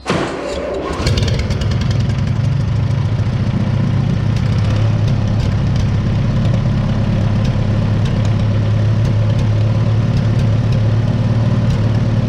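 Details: 1955 Oliver OC3 Cletrac crawler, sat 20+ years, IH Farmall M distributor fitted, new coil, new carb float, timing advanced, about 20° outside: catches after brief crank, settles into steady even low rumble; normal idle.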